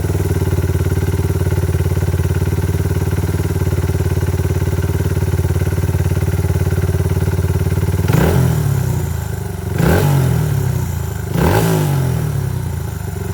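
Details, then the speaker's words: Honda XR/CRF100 with BBR 120cc big bore kit and FMF exhaust, second heat cycle after cooldown: steady idle then three quick clean blips rising and falling smoothly, no rattles or misfires; normal revving. "It's on its second heat cycle here, so I can rev it up and you guys can hear what it sounds like. It sounds pretty good with that FMF exhaust and that big bore kit."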